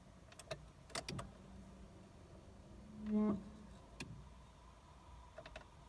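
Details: 2008 Ford Fiesta: short low buzzing whir, under half a second, when the key is turned in an otherwise quiet car; source unclear, owner suspects the starter motor; noise when turning the key.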